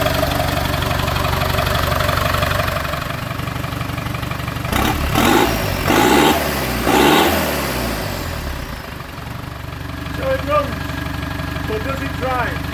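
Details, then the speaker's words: TDI diesel project vehicle, first start after sitting 4–5 years in an exposed barn; cranked to circulate oil before fuel pump connected. Steady idle with a couple of brief throttle blips, settling back evenly, no knocking or misfire; normal healthy diesel idle. "A TDI, sat for 5 years in an exposed barn, fired straight up. What more can you ask for?"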